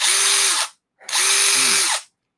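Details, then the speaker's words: Drill run free; two short bursts of high, steady motor whine spinning up and cutting off cleanly with no grinding or rattle, a healthy drill. "that's what it should sound like oh dude this thing feels strong too"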